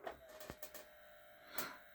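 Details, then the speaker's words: JVC 5-disc CD changer, long unused, previously jammed; the laser eye is suspected to be knocked out of alignment: irregular clicks, short whir and rough scrape as the disc loads, then shows no disc; cause not confirmed. "And now bad noises. Um yeah, play do something. play it. It says no disc."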